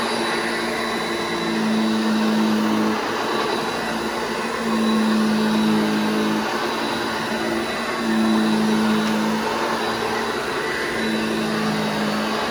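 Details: Restored vintage Hoover Junior 1334 vacuum, demonstrated after full restoration and reassembly: steady, even motor hum whose tone rises slightly as the cleaner is pushed, no grinding or rattle; healthy motor.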